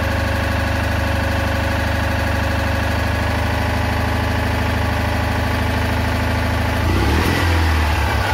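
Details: Citroën Ami 8 flat-twin, hot, coil warm: low idle with an uneven beat and dropped pulses every few seconds; ignition misfire the owner attributes to a failed condenser, with weak spark at the plug.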